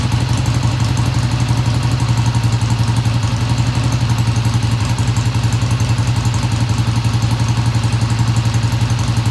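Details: 1971 Triumph T120 twin, first cold start after cleaning pilot jets: even, steady idle beat just under four per second, no misses or clatter; idle fast at first then kicked down, sounds healthy, no tach fitted.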